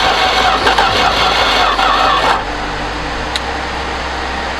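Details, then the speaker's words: 1973 Duster slant six, unrun 21 years, after connecting the coil: uneven chuffing bursts about three per second for two seconds then low hum, smelly, exhaust mostly off; sputtering partial firing, not running. "got some oh man does that stink so we got some fire out of it"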